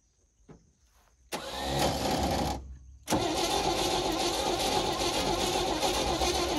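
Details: 1971 International truck, long-abandoned, cranked with ether: two cranking bursts with one brief pop as a single plug fires, then no start; heavy blowby from valve cover, low compression; owner suspects worn rings or timing chain jumped a tooth.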